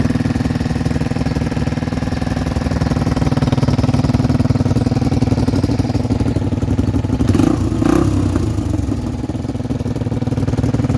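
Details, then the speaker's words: Two 1978 Honda XL250 barn-find single-cylinder bikes idling together while warming up, one through a loud Supertrap exhaust: steady thumping, one louder and raspier, both even with no faults; normal idle. "both sound totally different drop this one down a bit you can really hear that super trap"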